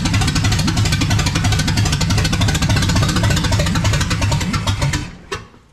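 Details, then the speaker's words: Restored 1979 Ford F100 with a brand new engine on first fire: rapid, choppy firing about three beats a second for five seconds, then the engine fades out and dies, stalling possibly because it had no gas in it. "Oh. She did something. She ain't got no gas in her."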